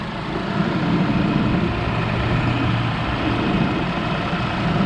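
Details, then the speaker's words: 2005 Chevrolet Colorado 3.5L after replacing the water pump, serpentine belt tensioner and idler pulley: a smooth, even low idle with a steady rumble and no wobble, chirp or knock. The belt drive is running normally. "Let's put this hose back on and let's fire it up. No more wobble wobble."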